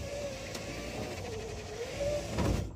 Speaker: And a short time later, I have two working windows. Really need to grease those things before they burn out.